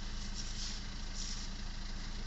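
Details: Maruti Suzuki Ertiga whose no-start was caused by a small faulty relay, no scanner faults: smooth, even low idle with steady beat, no misses, knocks or hunting; normal idle.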